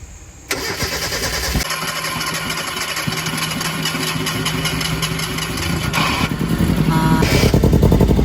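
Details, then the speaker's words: Mazda NA Miata MX-5, first start attempt after fitting new camshafts, with ignition timing not yet set. The engine catches and runs unevenly with irregular stumbles and uneven firing pulses: a misfire, believed to need ignition timing. "three two one oh we probably gotta do ignition timing give it one more try I don't want to damage it it's just like misfiring but"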